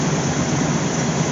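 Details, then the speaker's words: Old Dodge truck engine after fuel pump replacement, fuel pressure up from 10 to 40–50 lb: steady, even low hum with no knocks, misses or stumbles; running smoothly, a squeak noted afterward. "let's try to start it I think it's safe to assume it was the fuel pump guess I've been playing with carberator too long I thought 10 lb was enough listen to that woo"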